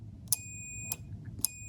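A sharp relay click, then a steady high beep that holds until the next click: the contact is closing and conducting properly.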